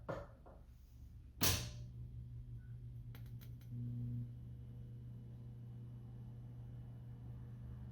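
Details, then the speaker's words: Atari Asteroids arcade cabinet powered up after recapping work: sharp switch thump, steady low mains hum and a brief tone; normal power-up. "sounds like it's working should have a picture here pretty quick and yes there it goes"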